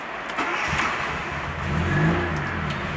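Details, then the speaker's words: Fiat Panda 4x4 Sisley, cold engine run on choke with a bit of throttle after an earlier stall; pulls up smoothly and holds an even run without misfiring, runs well, though the owner thinks it runs a little rich with sweet exhaust smell. "She runs, and she runs well."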